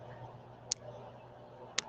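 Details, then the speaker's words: Sharp high ticks about a second apart over low steady hum during a livestream; recurring click in the audio chain, sound improved after adjusting settings but click remains, source unknown. "the sound is better but you can still hear the click let me just turn that down is that a little better"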